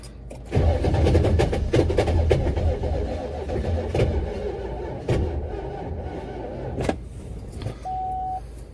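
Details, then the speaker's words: Buick Electra 5.7 diesel, unstarted for a year, blown head gasket, jumped from a truck battery: strong even cranking about four beats a second, no combustion kicks; cranks but won't start. "definitely have the voltage we need now to crank it over uh did not hear the kicks i wanted to hear but let's see"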